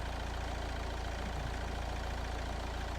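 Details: 2013 Nissan Qashqai+2 1.6 dCi diesel, earlier crank-no-start with U1000 CAN fault traced to a corroded relay: steady, even idle with a low regular beat of about two and a half pulses a second, no knocks; running normally.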